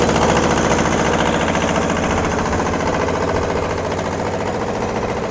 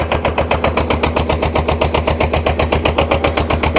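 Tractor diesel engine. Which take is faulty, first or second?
second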